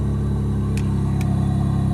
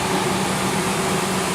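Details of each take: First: Back-lot van at 121,272 miles, idling with rear air on; rough, uneven puffing about four times a second over the engine drone; a big exhaust leak is suspected from the sound, not confirmed. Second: Back-lot truck with a Triton 4.6 L V8 at idle, brake and anti-lock warning lights on; short steady idle with an even low drone and no knocks or ticks; sounds smooth, and the exhaust is not loud.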